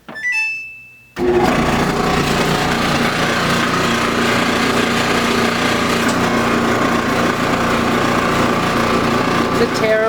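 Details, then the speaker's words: Samsung gas dryer DV40J3000GW/A2: start chime, then loud harsh continuous grinding roar while running, begun about a week earlier; cause not yet determined. "a week ago it started making a really loud really grating awful sound and the time has come to fix it before it gets any worse"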